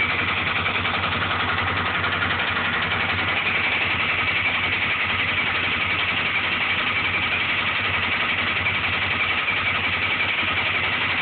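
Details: Honda 400EX single-cylinder engine at idle: a steady loud knock about three to four a second with occasional extra-loud hits; owner says it is not the valves.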